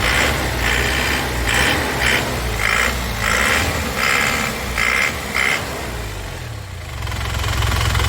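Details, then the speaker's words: 2002 Panther Touring manual turbo diesel with turbo timer, no oil seepage, idling after start: even low clatter under louder pulsing background noise, no knocking or misfire; normal diesel idle. "Mesinnya istimewa lur, mesinnya sehat dijamin, sudah ada turbo timernya,"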